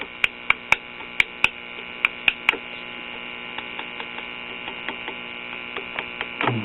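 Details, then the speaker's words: Late-1950s Japanese Londala tube radio, after swapping the 12BE6 with no change: steady mains hum with sharp irregular pops and crackles, 12AV6 stage going berserk; tube tested good, loose connection suspected, pressing the speaker affects it. "oh so it's the 12a v6 it's going berserk"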